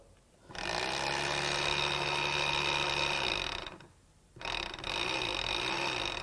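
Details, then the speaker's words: Spare returned motor, believed the same as in a 300,000-mile Chevrolet Silverado, bench-tested with probe power: two runs of high buzzing motor whine with coarse uneven chatter; runs rough, the truck's own motor is worse. "okay here goes something that one does turn over it doesn't sound good though"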